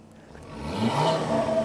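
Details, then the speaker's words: Volvo C30 five-cylinder turbo after spark plug replacement with NGK plugs, previously badly misfiring: engine pulls smoothly from idle into a clean rev with even firing, only slight exhaust popping; sounds healthy. "so yeah man that that sounded that sounded pretty damn good not going to lie"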